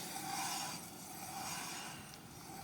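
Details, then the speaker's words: Wheel spun by hand with the wheel off during routine maintenance: quiet, smooth whirr with a light scrape from recently adjusted brake shoes catching, no rumble or grind; wheel bearing normal. "nah that's quiet that is no rumbling"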